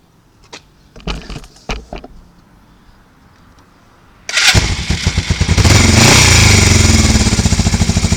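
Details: 1982 Suzuki GS450T, 8,362 miles, cold start after sitting all winter on a 36°F-night spring day: a few clicks, fires first try, settles into a steady even idle with a brief blip; healthy.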